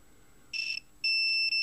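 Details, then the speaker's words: Orion R545A radio under restoration, tuning gang checked with meter on continuity: silence, then a short high beep and steady tone at the end of capacitor travel, showing a short, possibly multiple shorts, in the suspected tuning gang. "when I go all the way to the end there's yet again a short circuit so yes this tuning gang and it's the one I said I suspected does have a short or maybe even multiple shorts"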